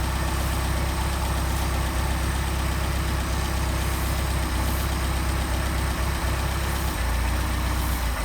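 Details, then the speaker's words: Mercedes 190SL with Solex carbs not run in a long time, idling around 700–800 rpm and won't go lower: carb cleaner sprayed at the throttle shaft makes the lumpy idle climb, vacuum leak through the throttle shaft. "Okay, so we're leaking through this throttle shaft here. How about over here? A lot of leakage through that throttle shaft."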